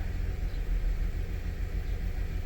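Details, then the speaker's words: 2006 Ford 500 3.0 L idling rough, shaking, won't go past 45–50 mph; deep lumpy idle rumble pulsing unevenly; scanner shows misfire mainly on cylinder 1, with 2 and 3 slightly. "You can kind of see right there where the number changes, misfire, and you can feel it shaking."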